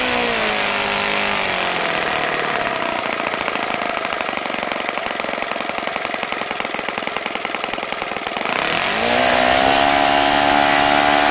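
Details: OS FS-95V four-stroke glow engine, first run after rebuild, Morgan's Omega 15% fuel, Master Airscrew 14x6 prop, OS F plug, electric start: raspy buzz winds up to a steady scream and settles cleanly, no stumbles; fine running despite an overly free throttle arm.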